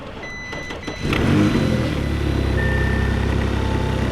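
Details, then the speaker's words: Damaged 2019 Audi RS5 bought at auction, first start after a battery change: a brief crank, then it fires cleanly, flares and settles into a steady, even idle with no knocks. It sounds healthy. "sounds how'd that sound pretty healthy okay yeah it sounded pretty good"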